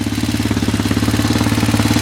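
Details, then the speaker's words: Roketa ATV riding around the yard, phone microphone in pocket: sharp, even tapping about fourteen times a second at idle; cause unknown. "ride around the yard and maybe it'll start tapping again a little louder and what it is already tapping"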